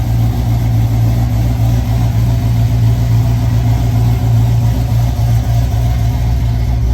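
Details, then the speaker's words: Ford Falcon gasser supercharged V8, first start after rebuild from Drag Week damage (broken lifters, rockers, pushrods): deep, steady idle with even rumble, no ticking or knocking; checking for leaks before coolant fill. "All right, we are going to fire up the engine fully put together. Hopefully, there's going to be zero leaks."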